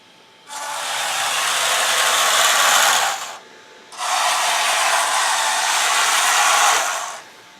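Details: Brass versus steel dual-ratio tank gearboxes run directly on full battery power after lapping the steel gears with compound and cleaning them with mineral spirits: two even bursts of smooth high-pitched whirring with no clicks or grinding, running quietly and healthily.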